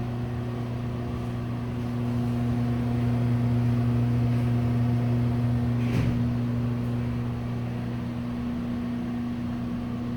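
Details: Broan exhaust fan from a restaurant runs with a loud, steady low hum and a constant tone above it, pitch unchanging; the fan motor hums loudly.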